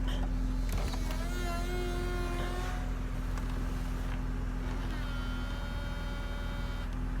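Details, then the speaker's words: 2004 BMW Z4 E85 convertible top pump, relocated to the trunk and refilled about twice after running dry from a hinge leak. A steady, coarse buzzing hum, a little noisier while bleeding a lot of air out. "that's better good because i move the motor to the trunk that's making a little more noise just bleeding a lot of air out of it now"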